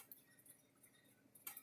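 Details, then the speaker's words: Gallagher S15/S17/S22 battery fence energizer; very faint sharp tick about once a second, normal pulsing at roughly 9,000 volts output, with the fault traced to a bad battery. "or maybe this it is clicking i'm walking here it's just really faint but i'm getting 9 000 volts out of this thing"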